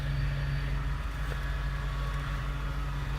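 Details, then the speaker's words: Power steering after pump replacement and a leaking hose fixed, being bled with the engine running: steady low hum with faint whine from air in the system while the wheel is turned back and forth. The noise fades as fluid circulates. "gonna have that noise to just keep turning back and forth back and forth and your fluid is gonna go down that's your fluid distributing going back and forth"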